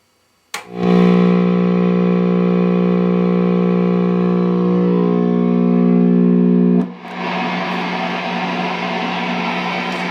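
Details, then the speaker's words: Guitar into an ISP Decimator G-String, its battery removed and powered from the AC chain shared with the other pedals, feeding the amp input with nothing in the effects loop: a sustained buzzy hum then steady hiss; noisy even with the Decimator on, a suspected ground loop. "as you can hear this time even though the decimator is on it's quite noisy"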